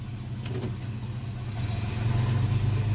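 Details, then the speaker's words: Chevrolet S10, engine swapped a week earlier, after drag strip passes: heavy, low, rough growl as it strains to pull in first gear; shop says likely planetary gear failure needing a rebuild, with fourth or lockup also faulty. "Oh, it's making a horrible noise, and it's like it's not even wanting to pull."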